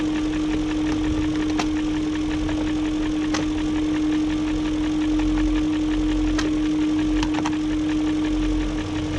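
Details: 2001 BMW E38 740i at idle after new timing chain, tensioner and guides: light uneven top-end tick over steady hum persists; no codes; owner suspects VANOS unit, cause unconfirmed.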